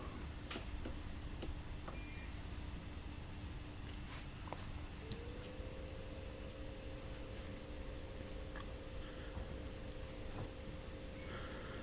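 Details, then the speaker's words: LF Bros portable diesel heater, first test start at home on a spare 12 V battery with a little diesel, hot air duct attached: quiet low hum rising in pitch as the fan spins up, faint ticks; normal quiet start-up. "You might hear it humming. It's very quiet. Everything looks good so far."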